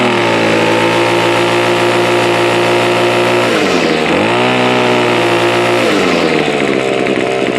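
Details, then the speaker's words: Two-stroke grass trimmer, first start of 2017 after sitting, full throttle: buzzy whine climbs, then sags and recovers in pitch as it is slow to speed up; owner notices clutch slippage, not confirmed. "I am noticing some clut slipage as when I'm pressing the throttle Full Throttle the trimmer is taking a little bit of time to actually speed up"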